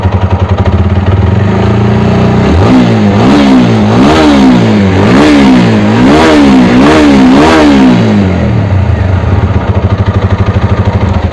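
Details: TVS Apache RTR 200 4V single-cylinder after repair of its engine noise; revs blipped up and down, rising and falling cleanly with no knock or rattle; engine sounds healthy and is ready for delivery.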